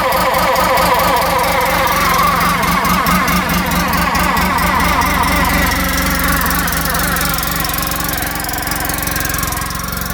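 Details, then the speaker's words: 2014 Polaris RZR 800 UTV, sat in a field for years, milky oil with coolant in it, said to have a brand-new clutch: idle with fast ticking about four per second and wavering scrape; loose clutch cover rubbing. Seller suspected the new belt squealing. "Yeah, something doesn't sound right. They said there's a brand new clutch on here, too. Oh man, does that sound bad."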